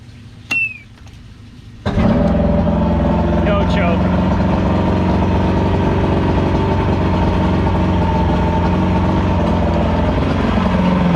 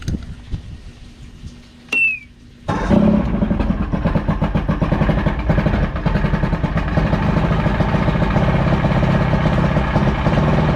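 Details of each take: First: Evinrude V4 crossflow outboard restarted: short crank, fires first turn, then settles into a smooth, even idle after cam follower roller replacement and link-and-sync, timing about 6° BTDC. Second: Evinrude V4 crossflow outboard (88–115 hp) after replacing the cam follower roller, timing about 6–7° BTDC: brief starter whirr, then a cold, choppy, uneven idle that should turn crisp once warm or with the warm-up lever.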